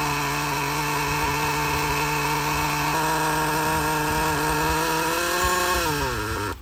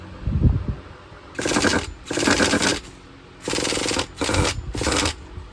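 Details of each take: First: Used Traxxas Slayer nitro RC truck after replacing the faulty glow plug, fitted with a homemade tube-and-tape silencer: high buzzy scream holds steady pitch then winds down smoothly before cutting out; running normally. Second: Used Traxxas Nitro Slayer RC truck engine struggling to prime, tank possibly clogged or fuel bad: short high-pitched screaming bursts of half a second to a second, each dropping to near silence; starving for fuel, cause suspected, not confirmed.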